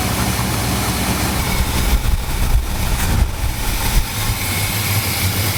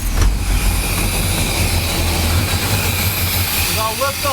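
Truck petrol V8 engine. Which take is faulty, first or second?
second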